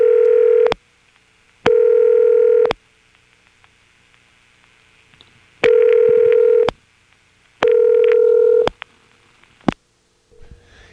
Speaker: another odd two digit code which I found just went to a double ring like this